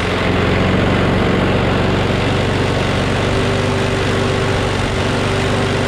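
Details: Craftsman push mower with a Briggs & Stratton Quantum engine, about 23°F, after easing spring tension: steady, even drone at constant speed, no hunting or surging; slight vibration, owner suspects the blade is a little out of whack.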